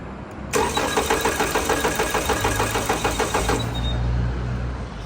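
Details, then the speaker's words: 2018 Toyota Camry, crash-damaged with replaced engine, many fault codes including disconnected air sensor: starter cranks steadily about three turns a second but never fires; no spark, no power at the coil connector. "ما شايفين ما في شراره فخلونا ما في مشكله"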